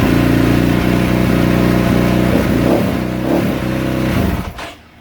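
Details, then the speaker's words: 2022 KTM 450 SXF after transmission repair (5th gear failed), quick first start on choke, no coolant yet: catches and runs with firm thumping beat and a few clean throttle blips, then shut off; healthy. "there it is first start up they can take a while to start up because we had the fueld line disconnect it's been sitting a while the fuel has dried up and the fuel line the fuel injector and all that"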